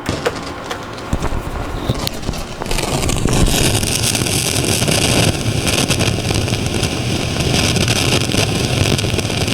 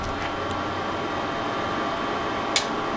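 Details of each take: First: Marantz 2252B receiver, previously stuck in protection: one output channel shows DC dancing and heard as loud, dense crackling hiss; usually caused by the front-end differential (long-tail pair) transistors and can throw it in and out of protect. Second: Marantz 2252B receiver after repair of protection fault and one noisy channel: faint steady hiss, a single sharp protection relay click releasing, then quiet output with no crackle or noise.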